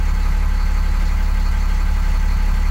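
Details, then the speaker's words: 2001 Cummins 8.3L ISC CAPS diesel in an RV after faulty engine speed sensor replaced, fuel line bled of air, no codes: steady, even idle with smooth low rumble, no knocks or misses, before going to fast idle. "we'll let this run for a minute no codes yeah let's go to a fast idle"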